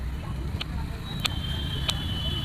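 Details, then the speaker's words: Bluetooth speaker, loose body, switched on while plugged into charging: faint sharp pops about every two-thirds of a second over quiet hiss, absent when off. Speaker popping, cause not yet determined. "देखिए पटपट जो है यह आवाज आ रहा है है ना जबक य ब्लूटूथ ऑन है ऑफ में तो नहीं आएगा पर ऑन जब करते हैं तो यह पटपट आवाज आता है"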